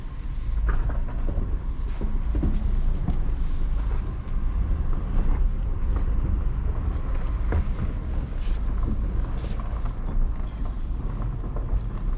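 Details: 2013 Subaru Impreza after engine swap following timing failure, first start, lots of smoke: deep, uneven engine rumble with wavering loudness, rough running that seems to clear up and sound better as it runs.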